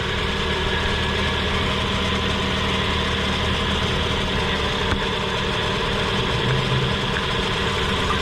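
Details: 1999 Lexus LS400 V8 at idle, engine oil clean, no blow-by: smooth, even idle with a steady hum, no ticks, knocks or misses; a power steering leak is heard, guessed to be low fluid; otherwise normal.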